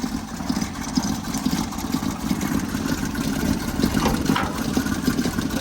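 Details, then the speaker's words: 1977 Toyota motorhome, warmed up after revival from months of storage: steady soft idle with no knocks or misses, running sweetly; normal warm idle. "Purring like a kid."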